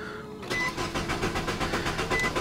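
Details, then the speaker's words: 2007 Nissan Sentra 2.0 L that lost power and shut off while driving as if out of gas: even, not overly fast starter cranking, engine never fires; fuel pump suspected. "just cranking doesn't look like it wants to fire or sound like it at all at this point with absolutely no diagnostic work my initial thought is could be fuel pump"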